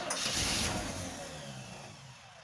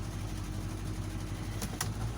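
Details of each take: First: 1985 Chevy C10 V8 after carburetor replacement, primed: quick crank, catches cleanly and settles into a steady even idle without stumbling or misfire, no leaks. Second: 1985 Chevy C10 after carburetor replacement, idling in gear: steady, even low rumble with no stumble or miss, but the idle sits a little high and is being turned down.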